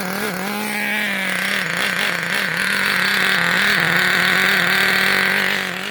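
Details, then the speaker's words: Traxxas T-Maxx 2.5 nitro RC engine with new Losi 3.4 carburetor, just started cold: fast, buzzy uneven burble dipping and picking up, lots of smoke; running really rich. "got a crap ton of fields coming out of it right now it's really rich"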